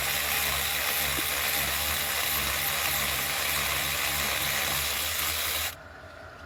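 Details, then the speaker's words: Power ratchet in reverse on a 12 mm 6-point socket with a universal wobble, removing starter bolts on a 2007 Honda CR-V with a no-start, no-crank fault. It makes fast, slightly uneven rattling clicks at about three to four a second because its gears are partly stripped. "And our gears are a little stripped out on our power ratchet. We're gonna have to get another one soon, but"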